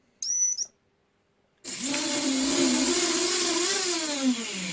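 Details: Eachine Falcon 210 Pro quadcopter after teardown and modifications, with ESCs resoldered to a new PDB: a few short beeps, then small motors spin up to an even high whine that rises and falls smoothly; healthy motors.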